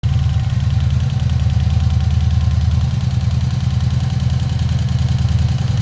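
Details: 1986 Honda VF700c V4 on centre stand, after valve reset (Dave Dodge method), carb clean and reinstall, warmed to operating temperature, idle reset ~1300 rpm: steady deep rumble with faint regular ticking from rear cylinders; cause unknown.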